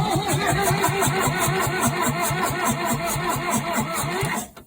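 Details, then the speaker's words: 1963 Case 310F bulldozer after 15 years sitting, fuel seen at number three, new setup after suspect cables and poor ground: starter churns unevenly about three pulses a second with occasional puffs that never catch; cranks but not starting. "Oh. Sounds like she's trying to go."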